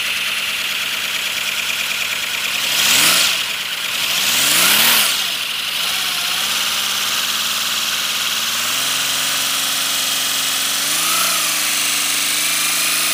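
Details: First-build 3D-printed PLA V12 model engine on compressed air, freshly lubricated, no exhaust port yet: hissing chatter climbs and falls as pressure is fed in, then settles into a steady fast patter; running freely.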